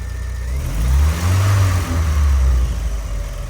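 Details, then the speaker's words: 1985 Astro van, 4-cylinder, 4-speed, first start after sitting about 15 years, fuel pump relay jumped: deep, even engine note swelling smoothly with throttle, no misses or knocks; sticky pedal but runs smoothly, normal running. "Pedal's a little sticky. But it runs really good. It runs really smoothly."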